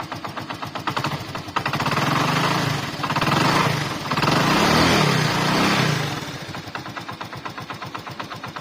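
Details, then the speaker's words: Hero Glamour FI motorcycle engine: uneven metallic rattle, about three per second, over the idle that swells with revs; source is either the balancer side or the magneto side. "लेकिन sound इसी जगह से आ रहा है या तो वहां से साउंड है बैलेंसर साइड से या यहां से साउंड है"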